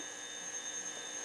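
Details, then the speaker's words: Motorola 68L11 tube radio, second-AM-radio test held near it to check its local oscillator: steady thin high whistle with fainter lower tone, heterodyne howl showing the oscillator works; moving away restores reception. "this radio is only getting signal from here now it's not it's not getting the radio station or the noise that it normally gets because this oscillator is interfering with this oscillator"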